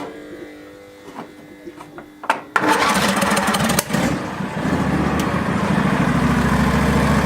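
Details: Barn-find Hayter ride-on mower with the switch held by a hammer, started off a jumper: clunks, then cranks, catches and settles into a steady, even idle on both cylinders with no backfire, misfire or knocking; healthy engine.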